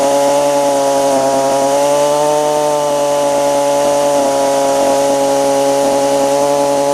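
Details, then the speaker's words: Stihl FS45 two-stroke trimmer after carb, fuel line and filter replacement for bad diaphragms, unadjusted, cold outdoors; steady high-pitched scream at full revs; owner suspects high-speed needle might need backing out slightly; mixture possibly off. "almost sounds like the high side might need to be pulled out just a little bit but oh [Music]"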